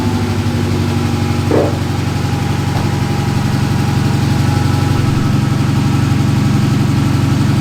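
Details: Dodge Challenger V6 that shakes, check engine light on: a loud idle with a lumpy pulse that keeps stumbling. Scanner reads cylinder 1 misfire and an injector circuit code; spark plugs are being replaced.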